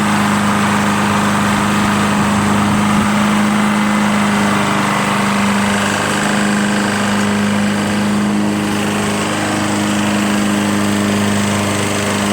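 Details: Lawn-Boy Insight 10682 mower, Tecumseh 6.5 engine, after cleaning water-contaminated fuel from the tank, blade spinning and very low on oil: even single-cylinder drone at steady speed, no misses, surging or knocks, running smoothly.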